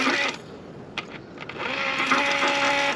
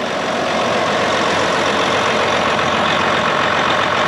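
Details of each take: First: John Deere 9430 tractor that died and won't start, heard from outside with key off and engine stopped: clicks, then the low-pressure fuel pump hums on by itself. Suspected failed or shorted pump electronics. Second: John Deere 9430 diesel tractor running after replacing the low-pressure fuel pump, which kept running after key-off and drained the batteries so it died and would not start; even, steady drone with no misses, knocks or surges, healthy.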